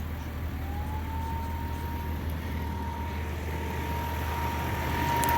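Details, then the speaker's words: 1997 Lexus LX450 with 185k miles at idle: a separately switched, Toyota-part auxiliary cooling fan kicks on, and its whine settles to an even tone; it is running smoothly. "The auxiliary fan is switch activated. Some people activate it off of the AC compressor switching on, but even the Land Cruiser products recommends having a separate switch. So you should be able to hear the fan kick on."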